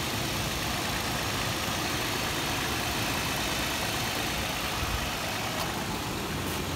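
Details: 2008 Toyota 4Runner SR5 4x4 at idle, recorded under the open hood: steady even idle with light fast belt-train ticking exaggerated by the phone microphone; engine sounds healthy.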